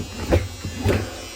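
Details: Maytag Bravos top-load washer that wouldn't spin up to high speed: low, rough buzz swelling twice in quick surges, the growl of a bad tub bearing; fixed by changing the gearcase and basket hub.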